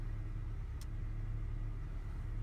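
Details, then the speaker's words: First-generation Honda Fit, misfiring at idle in driveway, after swapping a new coil onto cylinder one, still misfiring: low idle with uneven sputtering beat in exhaust; weak ignition coil dropping a cylinder, not cylinder one. "so I know it's not cylinder one now I'm not sure how well you can hear it in the exhaust stream but you can hear it sputtering while it's idling in the driveway hear that"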